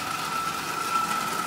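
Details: Marx prewar single-reduction train motor, badly rusted, last run before dismantling: steady high buzzing whir, rough and wavering, like a lawn mower; armature wobbling in a worn armature shaft bearing.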